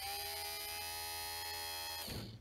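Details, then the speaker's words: 1965-66 Thunderbird power window motor after cleaning, greasing and reassembly, bench-run on direct power: steady high-pitched even whine, then winds down; sounds good. "Sounds good. Go the other way now."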